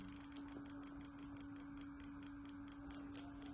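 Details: Small two-wheeler fuel injector pulsed on an injector tester bench: crisp, evenly spaced ticks at about six per second over a steady hum, varying with pulse and throttle setting; the injector is opening and closing properly.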